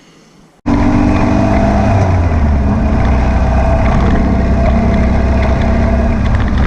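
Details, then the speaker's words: Air-cooled VW beach buggy on a road test after clearing a blocked idle jet in the driver's-side carburettor and rebalancing the carbs: a steady, even note under way with no pops or spits, and the idle sits a touch fast. "right seemed to have cured all the popping and far in kicking over a little bit on the fast side but it's running"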